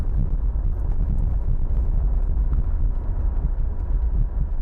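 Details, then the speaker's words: Porsche 914-6 GT clone on a test drive, coasting with the engine off while steering side to side: low, even road and wind rumble with no pitch change, whine or growl; rear wheel bearings are good. "Move the steering wheel one way, move the steering wheel the other way, and if you hear the pitch of the roll change, then you know one of the wheel bearings is bad. But this is good. This is very good."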